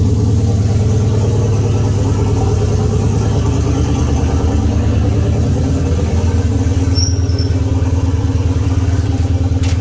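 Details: Oldsmobile 442 V8 first start after rebuild (new cam, pushrods, oil pump, valve springs, heads, gaskets following broken valve spring, bent valve, scarred piston); 92 psi oil pressure; deep lumpy idle about 140 beats a minute, even, no knocks or ticks; normal idle.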